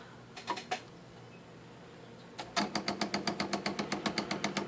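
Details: IBM Correcting Selectric II typewriter just switched on; a steady thump about four times a second above the quiet motor hum, plus squealing, from a cracked, broken center hub; the machine also freezes when keys are pressed.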